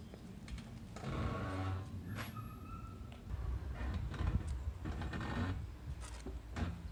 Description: This is a video of my Toyota Corolla Hatchback 2020 making a loud & weird noise while reversing at low speed on a downhill ramp (~8% incline) and applying the brakes.